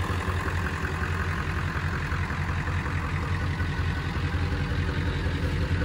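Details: 1999 Ford F250 Super Duty 7.3 Power Stroke diesel, sat for years: runs, deep even idle with steady low clatter, no misses or knocks; normal idle.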